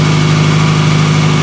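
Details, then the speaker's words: 2000 Toyota Camry on a cold start at 44°F, misfire already repaired and running perfectly: a loud, deep, steady exhaust drone from a known exhaust leak, probably the rotted flex pipe underneath. "running absolutely perfect obviously you hear the exhaust because of that"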